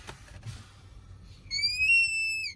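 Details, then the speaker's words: Pickup with vacuum-boost brake assist, pedal pushed hard: faint hiss, then a loud high whistle rising slightly in pitch, like a child screaming under the dash, from a vacuum leak that also hinders brake performance. "we go we start leaking vacuum and it causes that squealing sound and it also hinders brake performance"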